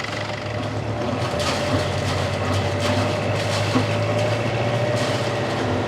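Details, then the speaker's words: Boat diesel engine after turbocharger work (it smoked with no high RPM before) and fuel filter replacement; steady rumble with a faint constant turbo whistle, turbo spooling again, running evenly: a temporary success. "I can hear the turbo now that's a good sign"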